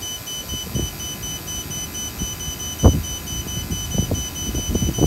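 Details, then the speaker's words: Vacuum pump used on a walk-in cooler job: a quick, even run of high-pitched beeps, a 'heartbeat' that speeds up and grows louder, over low knocking; the low-battery warning before cutoff. A check valve holds the vacuum. "so that's the warning that's what it sounds like when the batter is dying"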